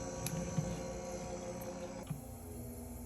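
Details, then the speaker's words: HNSE05SSRF mini fridge that was not cooling, plugged in with a wire jumper in place: the compressor kicks on with a quiet steady low hum and a faint hiss of refrigerant flow, no clicking or rattling. It is running normally. "we're going to plug the unit in and you're going to hear the compressor kicking on hopefully you can hear it"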